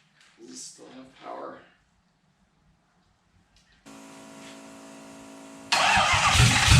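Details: 1UZ V8 swapped into a Ford Falcon, start attempts: quiet spell, cranking, then the engine catches with a loud rough roar; it fires but will not settle and keep running.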